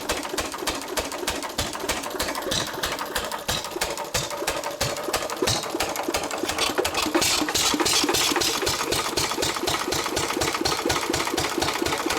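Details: 1923 3.5 hp Emu engine (rebadged Hercules, restored early 1980s), first start after 20+ years in the shed, spark and fuel on: sharp even firing about three per second, occasionally skipping a cycle as the governor hits, steady speed; running healthy.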